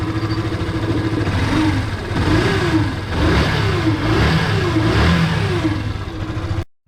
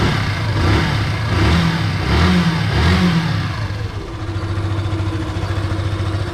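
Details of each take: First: Yamaha FZ (16, 2.0 or 3.0) engine revving with a rough, uneven whine rising with revs, heard when the stator is connected. It is caused by burned stator windings and often mistaken for crankshaft bearing, piston or timing chain noise. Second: Yamaha FZ single-cylinder with the clutch-area magnetic part disconnected to isolate a common engine noise: steady, even low idle at about 85 per minute with no odd whirring on top; sounds healthy.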